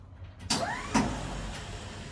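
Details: 1952 Dodge Wayfarer that won't move forward or backward: a short electric whir spins up and dies with no engine catch. Possible causes listed are battery, bad starter, timing, engine ground or worn flywheel teeth; cause unknown. Starter spinning without engaging.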